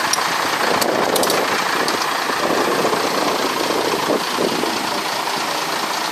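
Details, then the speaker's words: Broken boat engine at steady speed: loud uneven clatter with loose irregular rattles; rough running, cause unclear, and the engine is said to need replacing with a new one. "Mesinnya minta diganti yang baru itu."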